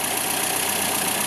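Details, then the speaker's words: 1954 Nash Metropolitan small four-cylinder at idle after starting instantly without touching the throttle: smooth, even ticking-over under a steady hiss, with no knocks or misses. A healthy idle. "et pour vous donner une idée donc de la manière dont elle tourne voilà contacter ici démarrage voilà j'ai pas touché là j'ai pas touché la d'accélérateur on l'avait vue et elle s'est mise en marche instantanément"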